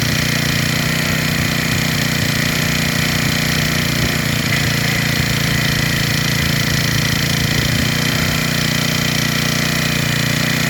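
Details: Freshly rebuilt small four-stroke engine (valves checked, carburetor fitted), idling after carburetor fuel mixture tuning during warm-up: steady, even idle with no stumble or surging, runs smooth and settled; normal idle.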